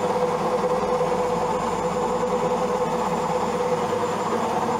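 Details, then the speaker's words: Old Zanussi automatic washing machine during the spin cycle: loud steady hum with rough rumbling vibration, the machine visibly shaking and droning; cause not identified, owner plans to call a repairman. "Что-то гудит. Сейчас идет отжим. Просто интересно, что ж такое машинка? Вот вибрация, видно, как движется даже."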